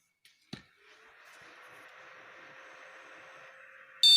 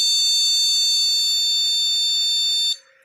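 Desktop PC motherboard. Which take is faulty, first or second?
second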